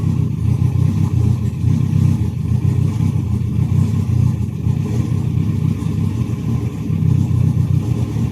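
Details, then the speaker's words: Ethanol-fuelled turbo car (Pulsar turbo, 2200cc injectors, K-series coil packs), first start after a cracked piston pin, ice cold so not revved; deep, even low idle with no ticking or knocking, full compression, oil pressure straight to 5; healthy. "Sounds like it got full compression. So it's alright. Oil pressure went straight to 5. So it's ice cold, so I won't be able to rev"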